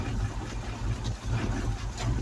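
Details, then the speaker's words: Ford Cortina, fresh-charged battery, fed with fuel from a separate supply: low, uneven engine rumble surging and dipping; runs but still a little lumpy, cause not found. "Sounds good. Still a little bit lumpy."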